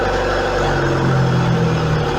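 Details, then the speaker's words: Engine idling steady at its 1,000 RPM target under a Speeduino-controlled Magneti Marelli idle air actuator; after the coolant temperature sensor is reconnected the idle returns to 1,000 RPM, a smooth even hum with no hunting. Normal idle. "e ele volta para 1.000 RPM E aí é o motor só Talvez uma marcha lenta tá trabalhando aí beleza"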